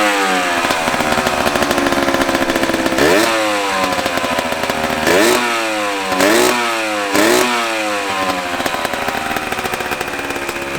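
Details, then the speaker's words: 1982 Honda MB5 50cc single-cylinder two-stroke moped bored to 70cc, running again after rewiring and fixing a ground fault: uneven buzz sweeping up and down in blips, ragged high revs; needs tuning. "definitely needs to be tuned a little bit though, you can hear it. And the high rev after."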